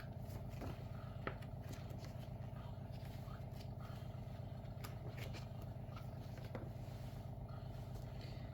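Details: WaterFirst countertop reverse osmosis purifier, first-time setup, while waiting for filtration to finish: a steady low hum with an even pulse of about four beats a second and a faint mid tone; the pump is running normally.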